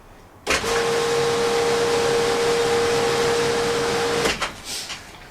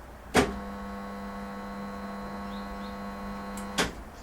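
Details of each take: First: Pool filtration pump after its faulty start capacitor was replaced: the motor starts instantly and runs with a steady, even hum and whoosh before switching off. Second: Swimming pool filtration pump motor: steady low electrical hum for about three seconds between two clicks, no spin-up; won't start, possible causes are a defective capacitor, seized motor, or winding fault.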